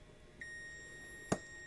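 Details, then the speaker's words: Digital multimeter in continuity mode, probes touched together: steady high-pitched tone near 2 kHz indicating continuity/short. "We're going to touch the probes together. It shows it's a short. You might be able to hear it beeping."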